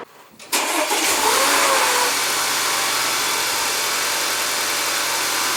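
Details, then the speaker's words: 2015 Audi A4 Sport turbo, started right after replacing spark plugs: brief crank, quick catch, then smooth steady idle with no misses or ticks; engine running fine, normal idle. "Sounds good to me."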